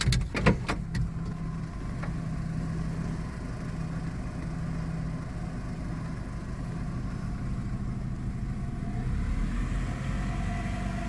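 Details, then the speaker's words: Hover H5 petrol (Mitsubishi engine), 109,000 km, knocked 4,000 km after a timing belt kit job; the fault was a weak hydraulic timing belt tensioner. After handling clicks it settles to a quiet, even idle with no rhythmic tapping. Engine runs smoothly. "Как видите друзья всё ровненько работает двигателя вообще почти не слышно"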